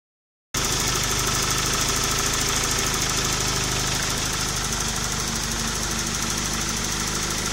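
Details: Engine at constant idle with a rough, uneven tapping of about three beats a second over a hissy background; abnormal engine noise, source not identified.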